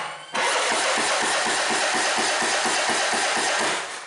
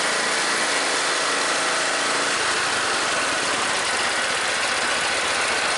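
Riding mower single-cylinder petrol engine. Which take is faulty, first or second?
first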